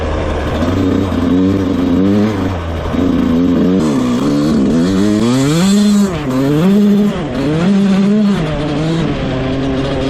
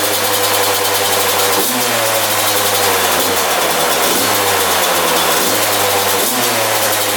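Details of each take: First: Rebuilt 2001 Yamaha YZ125 two-stroke, ridden: revs rise and fall cleanly through the gears, no stumble or bog; jetting spot on, air screw maybe slightly off, slight takeoff bog if clutched wrong. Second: 2001 Yamaha YZ125 two-stroke after top-end rebuild, new pipe, cleaned carb: raspy fast idle with short rev blips, not settling; high idle, owner thinks an extremely loose intake manifold let it suck in air.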